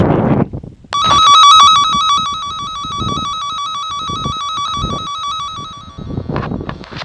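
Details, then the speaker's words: Underground dog fence loop traced with a Cen-Tech wire tracker: loud warbling probe tone over the live hot wire on one side, fading out past the spot where the buried wire is broken. "when I put this up to the the left hand side you'll hear the beeping when I put it on the right hand side uh"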